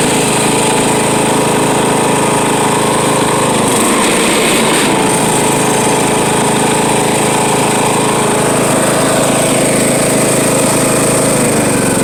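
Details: Riding mower with the deck down makes a harsh, steady grinding over the engine drone, with an uneven rhythm and no let-up; the belt was found loose after reassembly.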